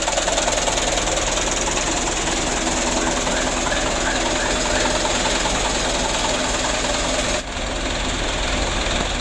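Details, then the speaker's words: Mitsubishi Canter 125 (2008) diesel idling after repair for shaking, long cranking and low power: a steady, even idle with a consistent light clatter and no stumble or shake. "Alhamdulillah untuk perbaikannya sudah selesai hasilnya sudah sama-sama kita lihat Lur"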